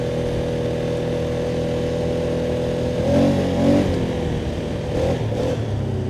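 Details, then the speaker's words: 2019 Polaris Sportsman 570 X2 single-cylinder after a top-end rebuild, before break-in; even idle with two quick, clean throttle blips that rise and settle without misses; runs excellent and now fires instantly, unlike before the rebuild. "She's running excellent."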